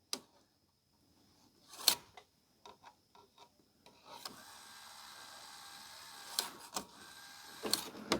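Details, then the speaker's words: Hitachi 32-inch LCD TV/DVD combo (model VC326000) loader: light clicks, thin motor whir and sporadic plastic clacks as sensors and motor work but the end gear won't turn or grab the disc; suspected cracked or stripped plastic loader gear. "So the sensors are working, the motor's spinning, all these gears are spinning, but this one at the end's not. So I reckon we might have a cracked gear."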